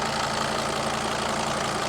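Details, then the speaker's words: Mercedes Sprinter with 602 diesel, first start after sitting abandoned two years: steady, even diesel clatter with a smooth low hum, no knocks or misses, oil light out; normal diesel idle. "You can't knock these things, can you? Listen to that purr. It's my favorite engine."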